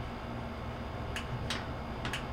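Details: Whirlpool LSQ7030LQ0 washer that would not spin or drain, after installing new lid switch 3949247: a few sharp clicks in quiet room as lid closes; new switch making contact properly.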